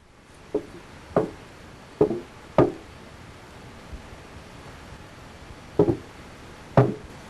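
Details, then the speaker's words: 1988–1992 Buick Regal underbody, engine running: hollow irregular pops every second or so from the fuel tank oil-canning, expansion and contraction due to normal fuel system pressure; reported on 1988–89 models. "some owners of 1988 and ' 89 models May complain of a fuel tank oil canning or popping noise this noise is the result of expansion and contraction of the tank"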